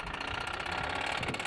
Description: WOW this Motor is Shot Done Kaput. Knocking Rod or something in a HUGE way.